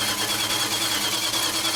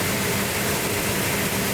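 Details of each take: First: Restored high-school car on first start attempt: steady starter cranking at about three compression beats a second but the engine never fires; no fuel in the system yet, cranking to build fuel. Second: Restored high-school car started under its own power with no primer fuel, cold, choke held, distributor being adjusted: even, steady engine note under a loud hiss, no misses or knocks; healthy, smooth idle.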